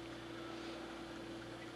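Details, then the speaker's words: Harbor Freight 12VDC heater run from a computer power supply rated 8 A at 12 V: faint, steady low whir with no speed changes; the fan runs slowly because the supply can't provide the current it needs, unlike on the battery pack. "barely it was doing much better off the battery pack this just can't provide the current it needs"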